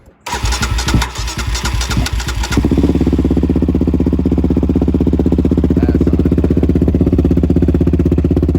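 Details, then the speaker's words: Yamaha Raptor 700 with Monster exhaust, cold start after lubing: starter cranks briefly, then the single fires and settles into a loud, even, deep-popping idle about four beats a second; healthy. "so i'm about to start this thing up let it warm up let the oil run"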